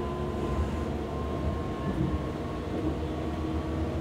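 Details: Hamburg U-Bahn DT5 343-1 train braking: heavy low drone with steady tone and higher whistle as it slows; loud traction motor hum, suspected worn motors, unconfirmed.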